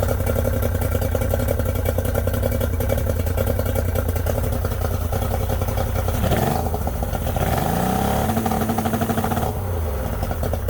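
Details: Yamaha 90hp two-stroke three-cylinder outboard, unrun for months, carbs cleaned twice, plugs and coils swapped: uneven, lumpy idle rising and falling with two quick revs; number 2 cylinder will not fire.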